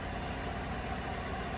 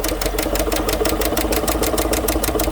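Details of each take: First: 2015 GMC Sierra 1500 Denali 6.2L V8 idling after a bent, broken No. 6 intake pushrod was replaced: a steady, even low rumble with no tapping and no misfires on any cylinder. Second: 2015 GMC Sierra 1500 Denali 6.2L V8 at idle with a sharp, even tick of about six per second from the passenger side. The cause was a bent, broken number 6 intake pushrod; a stronger pushrod is the suggested fix.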